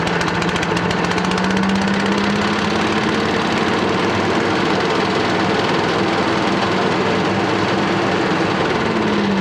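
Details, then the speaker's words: Billy Goat machine with Honda GX240 8 hp single, petrol tank had split, cold start: loud busy running with wandering low tone and uneven chatter; rough running, stuck carburettor float suspected, not confirmed. "maybe L that starts to write to me but the the carb is pulling out picture alike and the float must be stuck so Wow"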